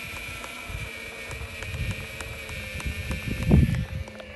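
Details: Evolve GTR electric skateboard riding in a straight line. A faint regular knock about two a second sits over the motor whine and road rumble; it stops when turning.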